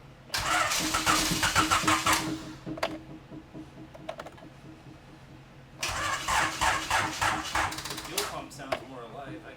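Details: B17-swapped EF hatch, after a fuel pressure check and plugging everything back together: two bursts of about two seconds of fast, even starter cranking that never catch. It is a no-start traced to crossed injector wires.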